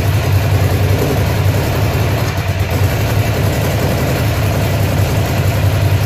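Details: Ducati Monster (696/795/796/1100) V-twin at idle: uneven, lumpy beat with irregular stumbles; engine misfire at idle, cause not yet pinned down.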